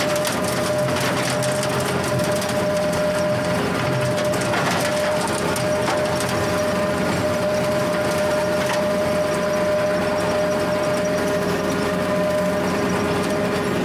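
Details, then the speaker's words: Rotary cutter (County Line brush hog, bearings not yet replaced during refurbish) mowing 4-foot grass: steady whine over the cutter's rush and crackle of chopping; owner suspects worn bearings. "[Music] [Music] hear that we need some bearings"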